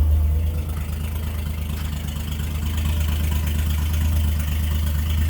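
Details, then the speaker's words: 1946 Chevy farm truck, 235 inline six, PTO engaged driving the hydraulic dump bed: steady low engine drone at constant speed under PTO load, no surging or knocking, bed raises normally; works just like it should. "it works just like it should. Super handy."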